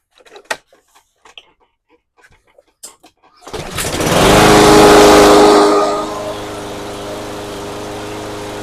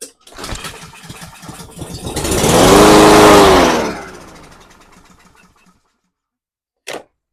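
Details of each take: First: Cub Cadet SC500 HW 159cc mower, sat a year, after carb cleaning and fresh non-ethanol fuel: fires, flares briefly and settles into an even steady run; previously wouldn't start or died after a second, now fixed. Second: Cub Cadet SC500 HW mower, 159cc engine, sat for a year, primed with non-ethanol fuel past the auto choke: catches on the pull, revs about two seconds, then fades and dies, suggesting a blocked fuel system.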